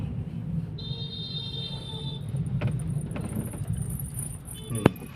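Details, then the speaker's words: Car on a rough road test drive after steering rack repair; it had suspension work three months earlier (link rods, bushes, shock absorbers). Steady tyre and road rumble with only a stray light tick, no clunks or knocks; suspension now quiet, clear improvement. "तो भाई मजा सा आ गया आवाज तो कुछ लगी नहीं इस टाइम चलाएंगे रफ रोड प यह है रास्ता खराब"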